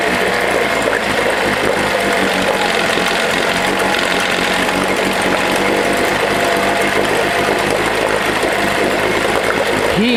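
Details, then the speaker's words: 1979 Johnson 6hp outboard with low compression, in a test bucket: steady, high, even two-stroke buzz with water splashing; water now exits the indicator, showing the water pump is working, and the motor runs fine. "yeah let's see this thing work actually yeah it works"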